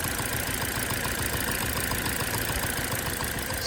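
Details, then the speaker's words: Petrol engine idling with a slightly uneven beat after an ignition coil connector is refitted during a pull-one-at-a-time misfire test. Check engine and traction control lights were on, and coils two and one had already been swapped. A misfire at idle from one dead cylinder. "when I put it back the engine runs a little bit okay"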